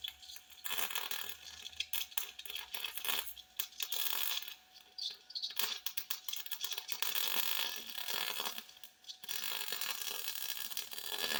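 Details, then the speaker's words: MIG welding universal motor mounts on a 1958 Ford Fairlane, overhead, ground clamp bumped and too far away: a crackling arc that flutters and breaks up instead of a steady sizzle; poor ground. "you hear a flutter in there that's a that's a mistake and i'll bring my ground closer when i move the ground back over here it's fighting for the ground that far so i need a better ground"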